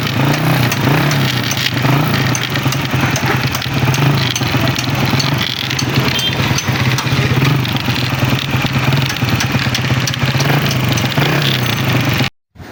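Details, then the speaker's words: Honda CG125 motorcycle running, before opening the side cover: steady engine buried under a loud constant crackling clatter from inside the side cover, as if something inside is broken. "जी भाईजान, आवाज़ें तो आपने सुन ली, कितनी खौफनाक आवाज़ें आ रही हैं। होंडा से कड़कड़ की आवाज़ आ रही है, ऐसे लगता है जैसे अंदर से कोई चीज़ टूटी हुई।"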